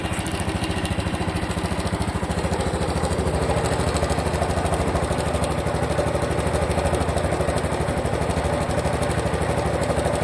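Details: Honda Cub Pro small single at idle, abnormal engine noise after an oil change meant to fix it: a loose, uneven ticking running through the beat. Cause unclear.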